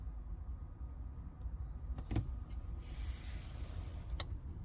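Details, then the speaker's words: Caravan water pump running a normal cycle after the cold tap is run and shut off: a low steady motor drone with clicks, running about 30 seconds before the pressure switch clicks it off. "now what we'll then do is run our cold water tap turn it back off again and that should run for about 30 seconds and then click and turn off"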